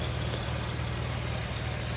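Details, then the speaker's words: 1999 Ford Windstar 3.8L at idle after realigning the slipped harmonic balancer weight to the timing mark: steady, even low hum with no shaking. Idle is slightly off, attributed to a check engine light issue. "the engine is moving. It's not shaking anymore."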